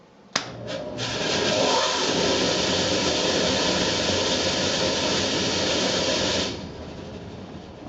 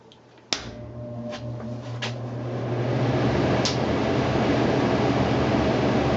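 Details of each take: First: Furnace blower fan running with the heat off: loud, rough roaring rush, described as an earthquake in the house; motor ruled out, the squirrel-cage wheel's outer blades have broken loose and slip on the hub. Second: Furnace blower after repair, motor ruled out and blower wheel re-centered and bolted tight on the drive shaft: click, then smooth even airflow hum with no rattle or scraping, quietest in years; normal blower operation.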